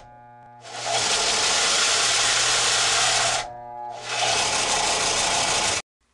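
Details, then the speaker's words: Harbor Freight Central Machinery 4x36 belt and 6-inch disc sander, 3/4 hp motor: the steady sanding roar sags and stalls when pressure is applied, then recovers. The reported fix is loosening the four motor mount bolts and sliding the motor back. "a lot of people say it don't have enough power because when you press down the belt stalls"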